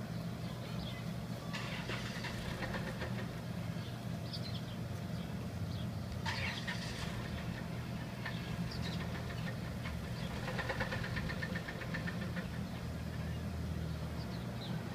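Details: Running engine with a heavy rhythmic knock coming and going in bursts, typical of very bad rod knock, while the vehicle is still being driven; suspected rod knock, unconfirmed.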